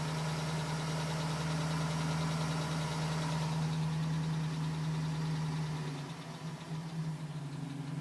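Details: 2010 GMC Sierra with 2000 miles, cold idle: light, fairly regular tapping about four per second, still tapping at 4 minutes, stopping at 5 minutes 42 seconds as temperature comes up; owner suspects piston slap, unconfirmed.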